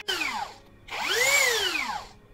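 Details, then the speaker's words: Low-budget rebranded brushless drill after repair: the rotor was rubbing the stator and overheating the module. It was shimmed with paper at the top. The whine now sweeps up and down with the trigger, smooth, with no scraping or rubbing. "Jadi udah pas ini kalau kita lihat putarannya Udah lancar tidak tidak bergesekan"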